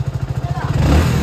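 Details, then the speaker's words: BS6 motorcycle after fixing key/ignition starting problem: self-starter cranks at about ten pulses a second, engine catches within a second and settles into smooth even running; normal start. "এই যে self মারলাম, এই start হয়ে গেল।"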